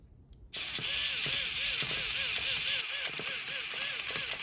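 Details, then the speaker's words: Traxxas Revo 3.3 nitro RC truck after a fresh engine rebuild, fuel on: thin high starter whir rising and sagging in uneven surges, turning the engine over but struggling to crank it; owner suspects the one-way bearing. "I can hear it turning over, but it seems like it's kind of struggling to actually turn the engine over."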